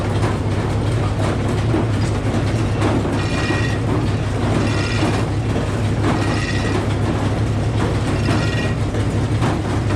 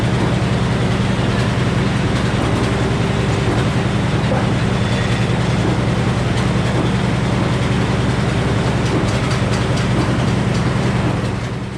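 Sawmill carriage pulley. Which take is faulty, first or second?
first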